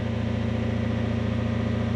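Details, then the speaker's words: Toyota Soarer / Lexus SC400 1UZ V8, not fully warm, idling after sitting a few days: steady low throb with slight rhythmic pulsing, idle unstable and prone to stalling; suspected sticky idle stepper motor bearings or an air leak after recent disassembly, unconfirmed. "if it actually holds an idle i would like to check the fault codes on the ecu i would like to check the air leaks we have just had it apart so it is possible that there is a leak there however in this case my thoughts are that the stepper motor bearings are getting a bit sticky"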